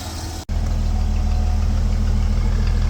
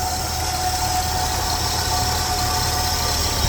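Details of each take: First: 1977 Ford F150 Custom pickup, 300-6 4.9L inline-six, fresh startup with air cleaner off and a little smoke: low, steady, even rumble with no knocks or misses; normal smooth, quiet six-cylinder idle. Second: 1977 Ford F150 Custom pickup, 300-6 4.9L inline-six, three-on-the-tree, idling with air cleaner off: steady idle with a constant mid-pitched whine riding over it, no knocking or ticking; the only noise is the alternator whine.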